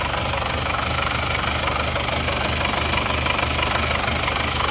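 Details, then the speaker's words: Isuzu Panther automatic diesel, brought in for heavy blow-by, after liner repair, engine at warm operating temperature; steady, even diesel clatter at slow idle, no misses or heavy knock; exhaust smoke now okay though idle still needs adjusting; normal diesel idle. "Mari kita perdengarkan suara mesinnya Bagaimana dan asal knalpotnya bagaimana nah ini suara mesinnya begini kondisi langsamnya seperti ini"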